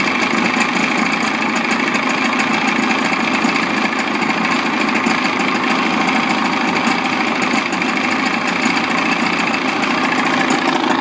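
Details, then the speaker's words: Evinrude outboard idling in a water container in neutral: smooth, regular buzzing idle at a constant pace with no misses or knocks; normal idle. "So every time the engine's in the water and you hear the idle and it's idling, that's okay."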